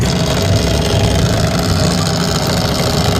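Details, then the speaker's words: Jammed 240V gear motor of a classic-model lamination machine, rollers not turning: loud steady mains hum with a rough crackle underneath while the output stays still; internal gears stripped. "इससे कर्कश, चटकने जैसी आवाज आ रही है। अंदर के सारे gear टूट गए हैं।"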